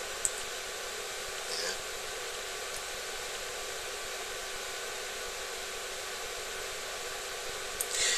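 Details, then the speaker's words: Duratool ZD-915 desoldering station cooling fan after a speed-control upgrade, with the sensor heated. Even, steady airy rush with no ticking or wobble; fan running normally at high speed. "so the fan is now starting to run Full Tilt I can feel the draft all the way up to where I'm sitting"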